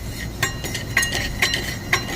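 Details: 2016 Chevy Equinox 2.4 L Ecotec with loud noise when driving and idling and poor acceleration: bright glassy clinks from the broken catalytic converter honeycomb core, which moves loose inside; needs a new cat.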